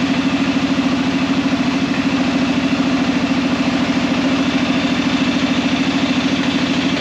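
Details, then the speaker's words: Arctic Cat Prowler engine just rebuilt with new pots (cylinders), first start after priming the carb: steady, even putter at about 160 beats a minute, no knocks or stumbles; idling cleanly. "1,000 gear. Seems to be working good."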